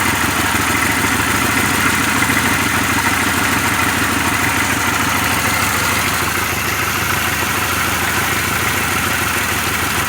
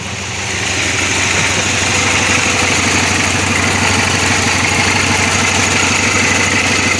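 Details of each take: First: 2006 Pontiac Grand Prix, supercharged drivetrain swap, first start after reinstalling plug wires and coils: loud idle with uneven, stumbling beat about three pulses a second and hood shaking; runs better but still misfiring, cause not yet found. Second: Supercharged 2006 Pontiac Grand Prix after a drivetrain/top swap, warm after the drive home: trans temperature 152, check engine light off. A steady, even idle with no misses, knocks or tapping. Normal warm idle.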